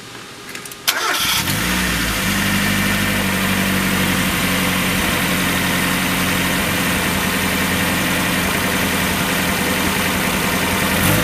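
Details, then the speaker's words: 1994 Mazda Miata first started after a timing belt job, before coolant and accessories were refitted. It settles into an uneven idle with an irregular stumble. Misfire traced to another vacuum leak. "so the misfiring problem that I had turned out to be a vac another vacuum leak but we'll fix that in just a moment"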